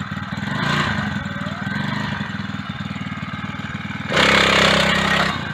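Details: Mk4-stroke small single-cylinder bike engine, first start in a few weeks after fitting a new transmission drive belt, started with a little choke; fires up and putters evenly with one brief rev blip, runs cleanly and healthy.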